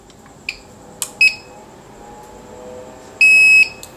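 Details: APC online UPS being repaired for a PFC fault: switched on from battery, it gives a few short high-pitched beeps, then one long steady tone of about half a second as it starts up on battery.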